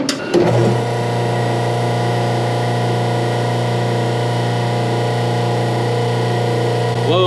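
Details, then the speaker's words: Machine motor run on temporary power with contactor wires jumpered for testing: motor spins up within half a second into a steady, even hum without surging or rattling; normal motor start. "donc ça a fait fonctionner la [Musique] du moteur, ça sonne plutôt bien"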